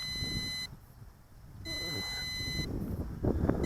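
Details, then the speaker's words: MJX Bugs 20 EIS GPS brushless 4K drone descending on low battery: a shrill beep about one second on, one second off, over the rotor hum. It is a low battery warning, and the drone will auto-land wherever it is within 100 m of takeoff. "So when you're hearing that low battery beeping, bring it in close. Otherwise, this might land in some trees or because it's going to land wherever it's at on that low battery."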